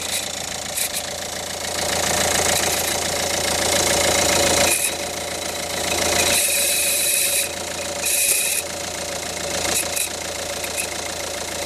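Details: Ford Focus 1.6 idling with a harsh, gritty metallic grind and chatter coming and going in surges; engine grinding noise, source not yet pinned down.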